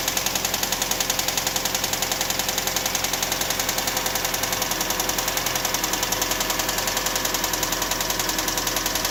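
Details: 1999 Toyota RAV4 petrol engine at idle with a rapid, even ticking; cause unknown.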